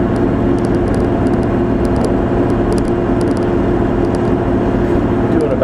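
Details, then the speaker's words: Toyota 2F engine, driving on a back road around 50 mph: even, steady engine drone pulling well with no knocks or misses; a separate transfer case shifter rattle stops when touched. "so I don't know what that is but uh as you can hear this thing picks up and runs pretty nice"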